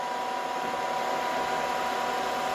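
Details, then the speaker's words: Drilling a hole in a casting for a mini PM Research 2A oscillating steam engine: a thin steady squeal over the spindle hum as the drill rubs; chips have loaded the flutes, cleared by flushing with cutting oil. "all right it started to rub that means we loaded"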